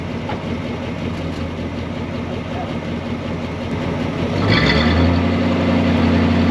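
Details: 1965 Ford Galaxie 500 project car, newly revived, with gauges showing oil pressure: a steady, even V8 idle, then a clean rise in revs and a smooth hold without misses or knocks. Running properly.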